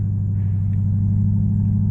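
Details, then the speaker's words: 2002 Lexus SC430 V8, neglected, flashing check engine light, VSC error: deep steady idle with faint uneven pulse, heavy exhaust, vibration and squeak; owner suspects running on about seven cylinders; rough idle misfire. "you see any vibration so it's definitely I think it's running on about seven cylinders here"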